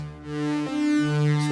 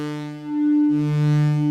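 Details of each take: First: Yamaha CS-40M vintage analogue synth after repair: clean, bright, buzzy notes sustain steadily with no crackle or dropout, both oscillators sounding full; a proper waveform has replaced the chopped one caused by the output switch, and it sounds as expected. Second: Yamaha CS-40M vintage synth that suddenly developed a fault: held notes alternate, every other one thinner and buzzier as if a different waveform, with identical VCO setups and the VCF fully open with no resonance.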